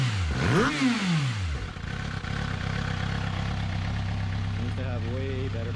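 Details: 2006 Suzuki GSX-R750, after cleaning and testing all eight injectors, cleaning throttle bodies and checking plugs and coils for rough running; quick rev rises and falls back to smooth, steady idle without misfire or stumble; running normally.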